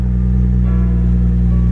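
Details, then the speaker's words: BMW 335i E90 N55 six after replacing all six spark plugs and ignition coils, started after sitting overnight: smooth constant drone with even pulse, no stumbling or shake, rpm no longer bouncing; normal idle. "Beautiful. That's what a healthy N55 is supposed to sound like."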